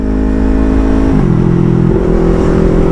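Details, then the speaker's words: Yamaha R3 with full-system exhaust after fitting an SRB resonator to cure excessive noise and backfire. Pulls up through the revs with a smooth, deep, rounded note, no popping or rasp; healthy, rounder exhaust. "maingay mga amigo mas gumanda yung tunog ng tambutso natin mga amigo mas bumilog siya"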